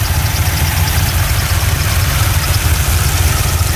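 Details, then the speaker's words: Chevrolet Corvette Z06 LS7 V8 (570HP) after accident, running on straight battery, oil pressure maintained: deep steady idle with even lope and usual light valvetrain tick, no weird noises. Normal idle. "not hearing any weird noises typical ls7 noises"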